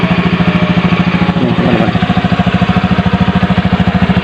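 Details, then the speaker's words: Carbureted Honda Beat scooter idling cold after about six months unused and combustion chamber deposits cleaned, kick-started: steady, even putter with no misses, knocks or stumbles while warming; runs normally. "Oke luar biasa motor Beat ini walaupun sudah lama nggak dipakai namun tetap bisa hidup dengan normal"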